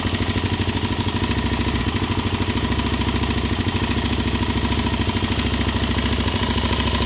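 Sharp regular ticking, about three per second, rides over the single's idle beat; a ticking from the top end, cause unknown.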